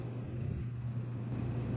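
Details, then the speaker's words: RV's 3,000-watt generator, not in eco mode, powering the bedroom A/C through a SoftStartUp 50 A plug-in soft start, as the living-room A/C set to 67°F (cabin 74°F) kicks on; steady low hum deepens and firms midway as the compressor load comes on; both units run fine. "All right, the fan's on. Let's see if we can hear the generator kick up."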